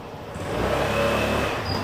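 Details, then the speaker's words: Suzuki UY125 scooter, new bike with 1,062 km, squeaking since new with original rear brake pads: brief thin squeal for about half a second over running noise as rear brake bites; rear brake squeal, pads to be replaced with upgraded ones. "听到了吗？听见了，滋儿一声。这还算声音小的，我再给你来一次啊。"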